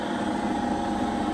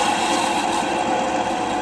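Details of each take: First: Denford Viceroy pillar drill, Hoover 3-phase motor after bearing replacement: normal running, smooth steady hum with no rumble, growl or ticking; no noise from the motor at the back. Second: Denford Viceroy pillar drill, Hoover 3-phase motor after sitting a long time, before bearing replacement: steady whirr with wavering squeak from the motor; hardened old grease and dirt made bearings notchy, motor nearly seized.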